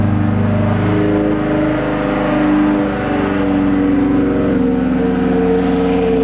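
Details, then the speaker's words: McLaren 720S being rebuilt after a wreck with about $40,000 in new parts: cold start settling into a steady fast idle with a strong even note and smooth hum, no knocks or misses. Healthy. "switch. Man, does it sound good. and go ahead and shut her down. So sick."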